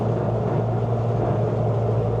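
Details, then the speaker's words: Nissan Sunny truck with a rebuilt A15 engine replacing the A12, lowered, at steady cruise. A constant low hum rides over the wind and road noise. It is a driveline drone; the owner suspects the diff angle from lowering or a worn universal joint. "So it's still got that noise, too. That that you hear that? So the weird thing is maybe it's the angle of the diff cuz I've lowered it."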